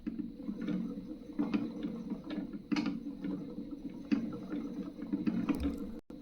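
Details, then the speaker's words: Spinning wheel bobbin after fixing excess play between bobbin bore and spindle that made it bounce and clack; now a low, even wooden whir with soft rhythmic ticks, spinning freely and quietly. "After that check to make sure you've removed the 'play' from the bobbin and that it still spins freely."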